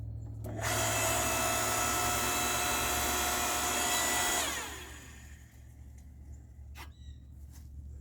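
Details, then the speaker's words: Electric log splitter, kept outdoors on its own indoor-outdoor outlet, first test after a Harbor Freight foot pedal replaced its stuck switch: steady, even clean motor hum for about four seconds, then smooth spin-down; healthy, normal running. "Let's just give this a shot, see if the pedal works. It's a good sound. That's a good sound."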